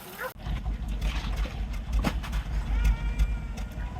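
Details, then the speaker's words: 1994 Ford Escort, while checking fuel pressure regulator and vacuum leaks at idle: low idle thumps come unevenly and stumble; rough idle misfire. "clearly a misfire damn there run a little rough"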